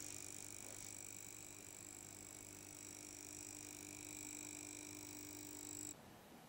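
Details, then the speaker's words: Marantz receiver with its covers removed: steady low mains buzz with a thin high whine from the rattling power transformer, then cuts off; transformer buzz, before repair. "and as you can hear there's a buzz in there"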